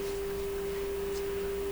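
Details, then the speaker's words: Canadian Pye 39HC radio running on restricted voltage while a tone-switch wiring error is suspected; a steady, pure test tone reaches the speaker and the volume control has no effect on it. "okay we hear the tone the tone for which we have no control over so um uh how's it getting to the speaker past the volume control"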